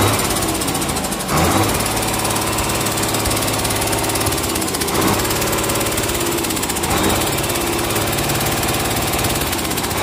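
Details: Komatsu S6D125 six-cylinder diesel freshly rebuilt in general overhaul, test-running on stand: loud, steady clatter at even speed, no odd knocks or misses; normal running.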